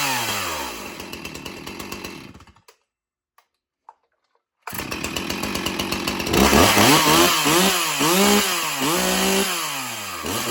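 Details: Stihl MS361 Farm Boss chainsaw with 20-inch bar: after a few pulls it fires and runs cleanly, rising and falling smoothly with each throttle blip; a healthy, crisp chainsaw.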